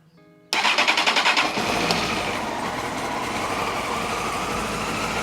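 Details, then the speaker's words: 2002 Honda CBR954RR Fireblade, not started in years, after fuel pump fix and valve adjustment: starter churns about a second, four-cylinder catches cleanly and settles to steady idle, initially a little rough, smoothing after warm-up; normal start. "In the end, the bike runs, and after letting it warm up for a little bit, the idle actually smoothed down quite a bit, I might say."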